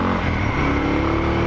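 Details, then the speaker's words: Suzuki DR650 single with new 24F0A exhaust, Procycle headpipe, Procycle jet kit and airbox mods: short smooth pull, deep throaty exhaust still fairly quiet, better and throatier than stock; no rattles or misfires, normal exhaust note. "I would say it's still quiet. It sounds better. It's a little throatier."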